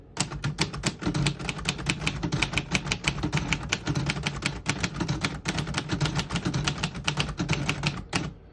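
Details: 1948 Royal Quiet De Luxe portable typewriter, Elite 12-characters-per-inch type, typing a sentence in red after switching ribbon from black: quick even run of crisp strikes about five a second, no dragging or sticking; healthy.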